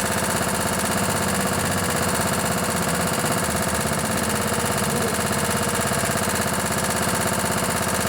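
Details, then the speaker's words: Craftsman LT1000 riding mower with a 16 hp Kohler Command OHV engine, barn-stored and not run in a long time. Running, smoking a bit. An even, steady beat with no misses, knocks or surging. Normal running. "let's fire this baby up so she's smoking a bit that's all right hasn't been ran in quite a while"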